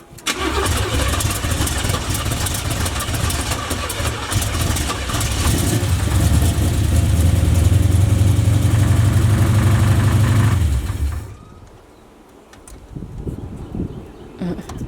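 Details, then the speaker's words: Chevy "Big Meech" engine, recorded in the engine bay after the oil dipstick showed no oil: the engine catches and runs loud with a steady low knock, about four a second, then shuts off; owner fears the motor is done. "You think it's done? You hear that knock? Yeah, I mean, I heard it towards the. Right when you was getting ready."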